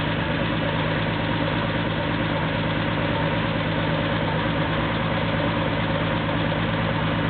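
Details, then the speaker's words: Porsche 911 2.7 L flat-six, early S cams, twin plug, 46 mm PMO throttle bodies, Tec3 management, first startup before balancing, cam sensor reading 29 degrees: steady, even idle with a smooth low throb, no knocks, misses or stumbles; normal cold idle. "we're doing pretty well so far this here the idle speed kick up a little bit first starts up and run"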